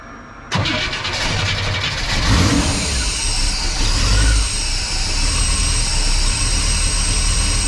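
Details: '57 with reinstalled FiTech fuel injection, started after remounting and tightening the alternator and reconnecting the battery: quick crank, catches within a second, then a smooth, steady, even idle, charging about 14.2 V. Normal start and idle.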